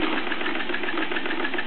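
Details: Bowman M101 stationary steam engine, first steaming since major refurbishment (Nov 2008), solid brass flywheel gathering speed: quick, even chuffing beat from the long-stroke piston with no knocks or hitches; normal running.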